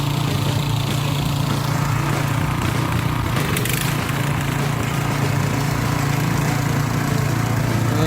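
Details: Repaired harrow/tiller with 170 single-cylinder petrol engine, test harrowing under load: slightly uneven, hunting beat; mechanic says it runs unevenly because it is low on fuel; uneven running from low fuel.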